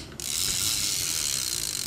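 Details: Fishing reel, used Japanese-market stock, handle cranked by hand: fine, even whirr for about two seconds with no catches, clicks or grinding; gears turn smoothly, a healthy retrieve.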